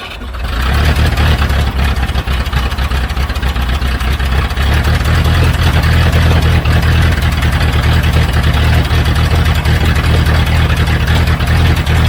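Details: 1976 Broderson IC70 crane diesel, abandoned for years, with a cleaned fuel tank: it catches after a moment and settles into a steady, even low chug at idle, running healthy.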